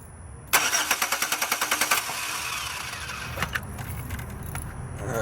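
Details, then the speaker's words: 2006 Chevy Impala LS with a no-start and no power to the starter. Turning the key gives rapid chattering clicks, about eight a second, with no real crank. Cause is a torn-up ground wire from the battery to the engine. "My issue came from the battery down through the ground wire. to the engine. And these wires right here were preventing it from starting."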